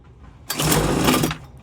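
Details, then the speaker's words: Homelite UT08572 Blower II, possibly flooded, switch in start position: short pull-start burst of rough cranking that almost catches but dies; won't run, cause unknown. "So, I guess I'll just crank it a little bit more before I give up and try to figure out what's wrong with it."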